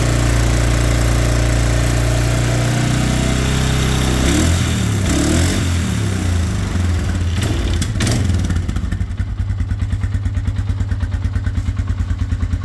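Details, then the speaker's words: Single-cylinder scrambler, started after post-ride repairs (new brake pads, brakes bled), having sat since the ride with possible gunk in the carburetor: it revs, then settles to an even, steady idle with no knocks or misses. Normal running. "So I'm gonna start it up, and we're gonna watch her spin. Make sure everything's good."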